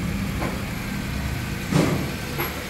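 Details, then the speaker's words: Honda K20 engine after repair of a top-end noise that persisted 3 years (mechanic had called it normal rocker arm movement); even low idle, no ticking, only brief handling knocks; owner confirms noise gone: normal idle. "Okay, nawala yung tunog. Yan, nawala daw yung tunog."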